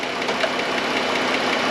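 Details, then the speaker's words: 2013 Chrysler Town and Country, 3.6 Pentastar V6 at idle, heard through a mechanic's stethoscope probe: sharp, quick metallic ticking, a common issue on these engines, before lifter repair. "so runs good but tick tick tick yeah a lot of fun sound to have and actually quite a common issue on these kind of star engines"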